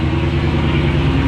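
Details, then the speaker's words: 2016 Dodge Charger Scat Pack V8 with long tube headers, K&N intake, catch can and tune, after installing ProFlex Commander E85 flex fuel kit: deep even steady low rumble at idle, no misses, ticks or knocks; sounds normal. "Sounds like normal. Sounds like normal."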